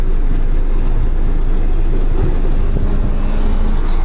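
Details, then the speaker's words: 1998 Mazda Protege 1.5L, sat about 15 years: steady, even low idle with no misses or surging; about 775 rpm against 781 desired, running about 50 rpm high when warm. "rpms are a little high so we're about 50 rpms to hot but you can see how stable the RPM is now"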